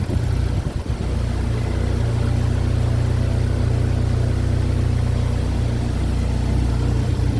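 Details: Chevy Equinox just started after an engine replacement, burning off residual oil: a smooth, even, steady idle with no ticks, knocks or misfires. This is a normal idle.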